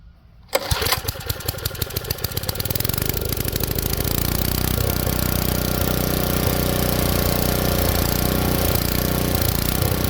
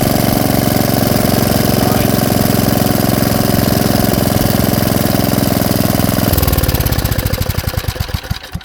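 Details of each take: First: Tecumseh engine swapped onto an Ariens rototiller, choke off: pulls over, catches and runs, but speed hunts and won't settle because the main jet is too lean. Engine hunting from lean main jet. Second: Tecumseh engine on Ariens Jet rototiller after low-speed idle screw turned fully in then out one turn: small single holds a steady, even idle without hunting or stalling, then winds down cleanly at shutoff.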